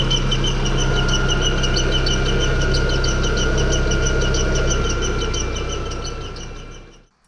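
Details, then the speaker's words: VW MK4 Golf petrol engine squeaking at startup, before removing the accessory belt pulley to rule out belt-driven parts; steady high squeak and fast ticking chirps at idle from the accessory/timing belt side, cause not yet found. "so in that previous clip you could hear the squeaking that it's making the first thing i'm going to do is remove this pulley and start it up"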